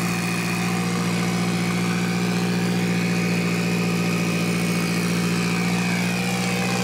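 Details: Mitsubishi Evo 8 4G63T turbo engine on the lift, at first start after a rebuild. A steady, even idle held above normal speed with a constant hum. The high idle was put down to an air leak, with a hose found not hooked up.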